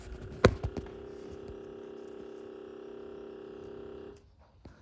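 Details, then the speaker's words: 2015 Nissan Titan pickup, engine just shut off: a thin steady whir and hum from the dash runs a few seconds then stops, only after shutdown; owner suspects a faulty fan inside the head unit, not confirmed. "i don't know if you can hear that but that only does that when you shut the truck off so it somehow seems to be a fan or something that's messed up inside this head unit that's what we think"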